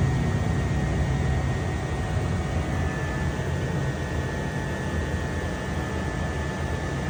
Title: 2021 Mercedes S Class A/C compressor buzzing noise